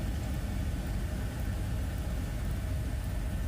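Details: 2002 Suburban after HVAC recirculation door actuator repair, engine idling with AC on: only a smooth low idle rumble, no clicking or clunking from the dash; earlier clicky clunky noise gone, actuator quiet.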